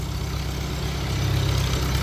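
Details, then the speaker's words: Old tractor, points ignition, with great oil pressure: smooth steady low rumble, even firing beat, no knocks or rattles; solid runner, normal idle. "I very strange, but it's a solid runner, that's for sure."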